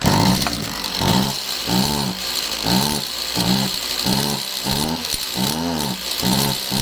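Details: Stihl MS192TC chainsaw that starts easy but bogs, air box off and bar and chain removed; revs climb then sag about once per second, never holding high speed, still bogging; clutch suspected but not the main cause.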